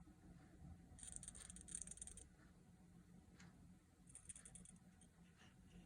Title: Rattle sound inside DotAio